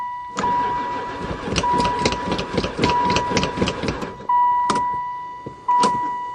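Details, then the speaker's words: 2002 van that has sat about four years and barely ran before, cranked on a battery. The starter churns in quick bursts over a steady chime, but the engine never catches. Fuel is uncertain, then gas is added, and lack of spark is suspected. "oh she even cranks I don't know if this thing's got gas either"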